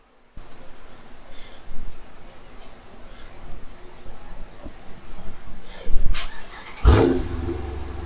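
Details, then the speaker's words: 2016 Dodge Challenger R/T 5.7 Hemi V8 after installing JBA ceramic-coated shorty headers: deep burble with sharp throttle blips and a loud pass, even and clean; healthy, with more throttle response. "Sounds good. That's a good looking car. Thanks, John. These definitely got more throttle response now."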